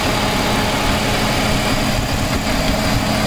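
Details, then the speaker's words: Jeep Cherokee XJ after installing 4-hole (Ford) fuel injectors and a month of driving, low on fuel: starts without hesitation, smooth steady even idle with no misses, ticks or surging; normal idle. "starts up pretty good usually doesn't hesitate or anything as you can see we are low on fuel running pretty good"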